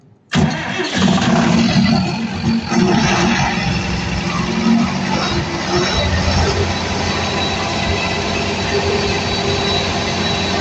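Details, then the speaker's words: Cummins 169 kVA standby diesel generator with PCC1302 controller, started in manual after a fault reset, warm-up run with no load: cranks and catches at once, brief rev, then steady even idle with no misses or knocks. "no le meto carga porque esa prueba es solamente una prueba de calentamiento esto Solamente se lo hago yo para calentar la planta esto es una planta de respaldo"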